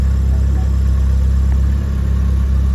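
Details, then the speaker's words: Nissan Sentra B14 petrol after repair of fuel-flooded cylinders, worn injectors and fuel regulator, gasoline having mixed into the oil: restarted, steady even idle, smooth low hum, no misses or hunting; idle now fine, normal. "Pina na rin yung idle. Ayos."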